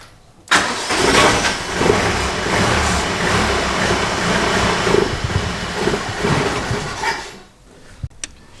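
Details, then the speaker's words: Two-cylinder Russian car, carbureted, after fuel line replacement and carburetor cleaner: engine catches and runs ragged for several seconds, then stalls for no apparent reason; carburetor suspected and being disassembled. "Mark is disassembling the carburetor right now see what the heck is going on why is it uh dying on us for a no apparent reason we're gonna see what's up"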